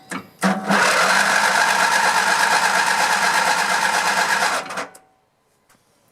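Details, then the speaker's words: Grasshopper zero-turn mower, 16 hp Vanguard V-twin, fed starting fluid: starter turns engine evenly, about three turns a second, for four seconds without a catch; no spark. "And we still got nothing."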